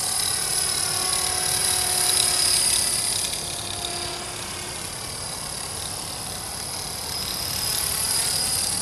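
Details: Accurate 400 RC helicopter flown after a crash: steady high-pitched rotor and motor whine with a faint beat about four per second, abnormal noise and vibration; something in rotor head or drivetrain out of balance.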